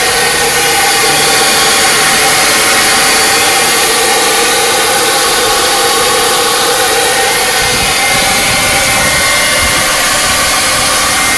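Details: 2003 VW Jetta 2.0L petrol, cold start: loud steady high-pitched whir over idle for about 30 seconds, only when cold or after hours off; began right after new spark plugs and cables were fitted.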